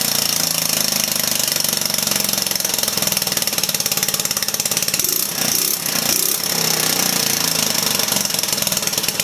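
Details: 150cc Velocity scooter back-yard find, new cable hooked up; rapid harsh popping with uneven patches and a mid-clip stumble, barely running; rough running.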